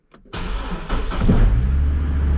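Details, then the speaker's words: Chevy Colorado with a Passlock no-start, fixed by cutting a wire: short crank, then it catches at once and settles into a smooth, steady low idle; Passlock light stays on. "beautiful running like a top now that path lock light will stay on"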